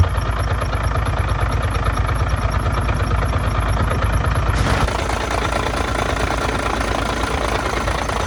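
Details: Truck diesel at cold idle just after an exhaust pipe repair, checked with a listening tool around the front cover: a thin, high, rhythmic squeak rides over the knock, then fades once the engine runs. Cause: crank damper dust boot rubbing the front cover.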